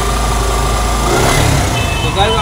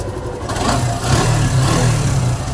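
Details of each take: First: Suzuki Gixxer SF motorcycle, earlier misdiagnosed by several mechanics: a loose metallic clatter rides over the exhaust note as revs rise and fall. Cam chain tensioner noise, the tensioner not holding the chain tight. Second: Suzuki Gixxer SF after repair of the noise, which was only a tension problem, not engine, piston or valves: low, even idle with no ticking or rattle; noise gone, sounds healthy.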